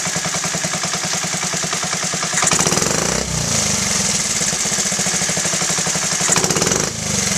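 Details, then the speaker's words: Honda Z50A Mini Trail 50 single, rebuilt carb: throttle blips stumble and sag before catching, a slight bog, and dying out after a high rev suggests too rich; the screw is turned in a quarter turn. "it does bog a little bit. Let's turn it in quarter turn. So you can see right there, usually when it dies out after a high rev, it's too rich."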